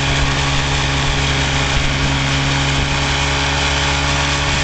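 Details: Vintage 1956 Johnson Javelin 30HP RJE-18 electric-start outboard on a 1965 Viking 14T runabout, throttle opened about a quarter turn. Smooth, even two-stroke idle with a steady buzzy beat and no misses or knocks; running cleanly.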